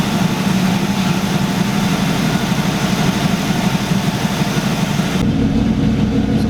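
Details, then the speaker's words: Camaro Z28 on third chip tune, steady high idle with uneven lumpy beat and low rumble, won't settle; vacuum gauge shows only about 40, owner fears idling at 800 would kill vacuum and power brakes; cause unconfirmed. "had a high idle my vacuum is not very high I'm only pulling 40 looks like"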